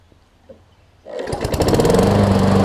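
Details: Toro Recycler self-propel push mower, Tecumseh engine after replacing the whole carburetor and rear wheels: quiet at first, then the single-cylinder engine catches and settles into a steady, even run with no misfire or surging; healthy.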